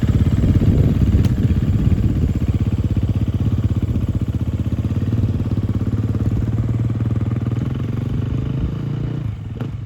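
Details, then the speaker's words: Large dirt bike that sat for years, after revival: crisp even single-cylinder thumping climbs and settles cleanly with throttle, no misses or rattles; part and full throttle work, running amazing. "This thing seems to be running amazing. Full throttle works, a little bit of throttle works, everything works fine."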